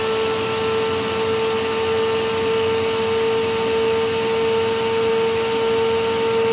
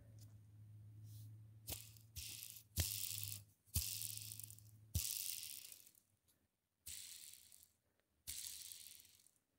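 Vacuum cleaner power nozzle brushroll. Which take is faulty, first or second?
second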